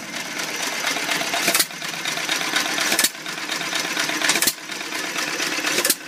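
A sharp firing pop about every second and a half, roughly 42 a minute, evenly spaced with coasting between; the old engine runs cleanly.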